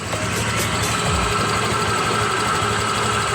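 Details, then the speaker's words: Honda Click 125 version 3 scooter, 26,900 km, engine noise complaint: light quick ticking over steady idle, louder earlier; mechanic diagnoses worn cam chain tensioner, to be replaced with lifter and tensioner parts. "Kanina talagang pagpunta dito ni Sir, dinig ko na no, may pitik-pitik. Yan, kanina mas malakas yan, may pitik. So yung tunog po na yan, ano, tensioner."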